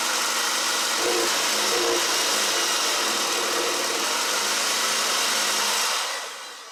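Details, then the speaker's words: 2012 Mini Cooper Countryman after bottom-end rebuild for P0304/P0300 misfire, after reconnecting unplugged number one injector: even, steady idle with no stumble, miss or shake, all cylinders firing, despite an oil leak; normal idle. "all right that's the smoothness i want here so i can like sleep with ease"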